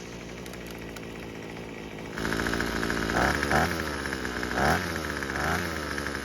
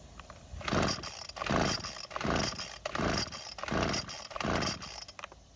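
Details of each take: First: Neglected Craftsman string trimmer after plug gapping, purging and choking, on the second start attempt (the first start died): the small two-stroke catches and holds a steady buzzing run with throttle blips. It is running normally and quite well. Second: Neglected Craftsman string trimmer, purge bulb filling and carb choked: about six rasping rope pulls, roughly one a second, never firing; no start traced to a hardened carburetor metering diaphragm.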